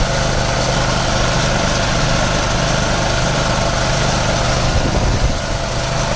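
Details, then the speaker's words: Mid-size air compressor used to blow out a sprinkler system for winterizing; steady motor drone with a hard, busy pump rhythm, then a brief change as pressure tops out, signalling full tank pressure, healthy and normal. "that voice means noise means your pressure is built up"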